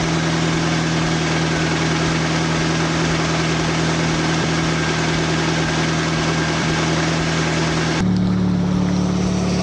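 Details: Nissan 240SX with SR20 swap, idling after GTX2860 dual ball bearing turbo upgrade, 850cc injectors, Z32 MAF, FMIC, 340lph pump and new ECU; steady, even idle with smooth low hum, no knocks or misses, healthy; small audible exhaust leak.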